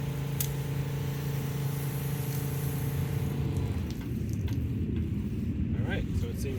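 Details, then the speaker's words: Southeast Softwash Alumimax Pro Skid soft wash system after repairing an air leak, tested with fresh water: steady even pump hum without surging or sputtering before shutoff; pump holds prime, leak fixed. "seems like we fixed it"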